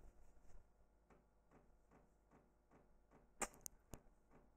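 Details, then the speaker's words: FlashPath solid-state floppy adaptor in a standard 1.44MB floppy drive under Windows 3.1: faint regular ticking about twice a second as the head steps and retries; error reading the drive. "that doesn't sound good actually an error occurred reading the drive"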